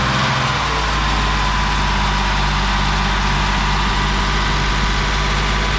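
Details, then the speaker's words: 1987 BMW 528e (E28), sat about two years, stale gas and a big split in the intake: lumpy, uneven idle with a heavy groaning drone underneath. At least one cylinder suspected not firing, loud noise thought to be the transmission; unconfirmed. "sounds like we've got at least one cylinder that's not firing and there is a horrendous noise coming from what we think is the transmission"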